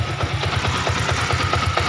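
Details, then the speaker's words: Yamaha Vixion single-cylinder idling with a rough repeating "glek glek" gear knock that stays with the clutch pulled in, so not the clutch rubbers but worn primary and balancer gears; replacing both gears cures it. "suaranya masih tetap, berarti ini bukan dari karet kopling tapi dari gigi primer dan gigi di balan ini Mas Bro, ada 2 kan itu sampean ganti pasti sembuh ya."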